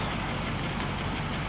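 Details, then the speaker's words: 1995 Cadillac Fleetwood after an engine misfire fix: rough, rattly run with loose low clatter and hiss; the exhaust is clanky and noisy and may need replacing. "exhaust system might be in this cars future because it's clanky and noisy"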